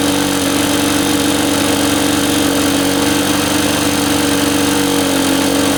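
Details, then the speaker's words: Reassembled Lawn-Boy two-stroke mower with a new gasket; choke open, automatic throttle, short run. Steady, even buzz holding one pitch with no misses or knocks. Runs cleanly, quieter than the Jacobsen. "yeah so it runs that runs really well this one's actually quieter this lawn boy is actually quieter than that Jacobsen was"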